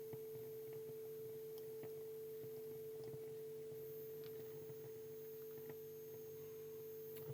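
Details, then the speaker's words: Bush TV22 valve TV warming up, dropper warm: strong steady high-pitched line output whistle over faint crackle, line stage running normally; no picture or sound yet. "I can start to hear the line stage, so that's good news. Got a strong line whistle, excellent."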